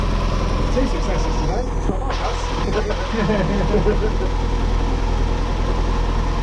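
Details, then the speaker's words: Mazda MX5 / Miata NA (Eunos Roadster) four-cylinder just after valve cover gasket replacement: even, steady idle with smooth low burble and no ticks or stumbles; sounds much healthier than before. "yeah yeah it started up it sounded a lot better straight away as soon as it started"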